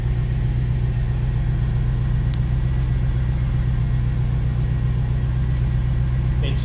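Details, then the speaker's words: 1987 Chevrolet Corvette C4 V8 that sat 25 years, after fuel pump work: steady, even low rumble with no misses, knocks or surging. Normal, healthy idle. "and idles great."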